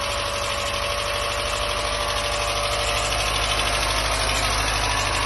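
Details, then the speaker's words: Mazda MX-5 Mk1, first start after standing about 10 years, fuel pump working, very loud: steady but ragged, uneven idle with a coarse rattly hiss over the beat; rough idle, cause not evident. "So guys, the car is literally on for the first time in about 10 years, and is it safe to say that it sounds like shit?"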